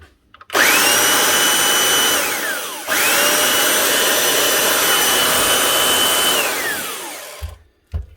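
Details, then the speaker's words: 1998 Makita 9402 belt sander after full teardown, all bearings changed, new brushes and lead; smooth steady high whine spools up with no rattle or grinding and winds down cleanly, running like new. "Sounds much better. That's her. One old Makita 9402 from 1998. Fully stripped down, bearings all changed, new brushes, new lead, and she's up and running again like new."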